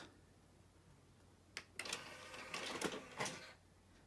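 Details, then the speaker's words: 2001 Sony CMT-CP300 hi-fi after CD loading belt replacement: changer clatters and whirs about two seconds selecting discs one and two; noisy but normal, repair successful. "these units are quite noisy as you can hear it's perfectly normal in fact if it's not making this noise and there's something wrong with it"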